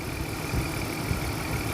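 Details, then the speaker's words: Engine after oil and filter change to correct weight and coolant expansion tank replacement, previously chattering like a diesel: low, steady, even idle with no ticking or chatter; normal idle, check engine light still on. "smooth super smooth that's crazy nice but a little bit of TLC to an engine would do for you"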